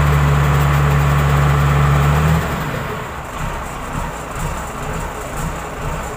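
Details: Komatsu wheel loader diesel after fixing failed alternator IC regulator that kept dash lights on and blocked starting: heavy low drone settling into steady, even idle about four pulses a second; normal start and idle.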